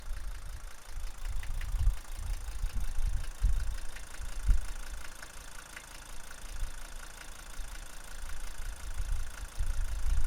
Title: Mercedes W123 300D strange noise from exhaust